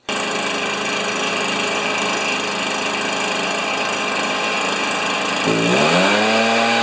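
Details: Stihl BR430 backpack leaf blower, neglected three years: steady high buzzy two-stroke note, climbing smoothly as the throttle opens; normal running.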